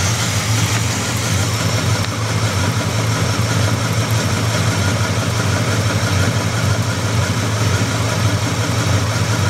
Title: 350 Buick Engine Knock